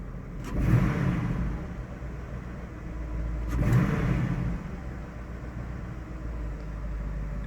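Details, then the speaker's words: About 2008 Cadillac, no check engine light, snap throttle: stumbling revs as many cylinders misfire, cylinder 4 possibly worst; suspected spark plug or ignition problem, possibly fuel-related. "Okay, a lot of the cylinders are misfiring now. Let's see if I can get it to do it again. This really seems like a spark plug problem."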